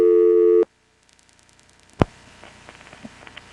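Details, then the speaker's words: NX1-E crossbar exchange in Vanceboro NC, March 1977, call after dialing. A steady tone stops, then a hush, soft relay clicks and a sharp clack before the NX1-type cut-through. The pre-cut-through noises differ from familiar NX1s; normal call setup. "and then it cuts through. I know that sound. That's an NX1 type sound."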